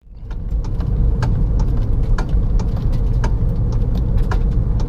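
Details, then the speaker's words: Kia Forte electric power steering motor coupler/bushing worn: sharp irregular clicks in the steering column over low road rumble while driving, irritating knocking; coupler replaced to fix it. "Yep, so this is the clicking sound, which is pretty irritating. It's ruining my driving experience."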